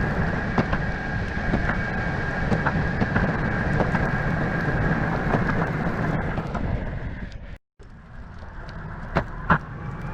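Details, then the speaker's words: Brand-new Verreal RS electric skateboard, about 18.8 miles on the remote odometer, riding on rough asphalt: loud rolling rumble with loose clicks and knocks over quiet motors, the whole deck rattling like a dump truck; quiet on smooth asphalt, cause unclear. "on smooth asphalt this thing sounds really good over cracks and on rough asphalt this thing sounds like a dump truck going down the road so the motors aren't loud but the entire board is louder than the heck"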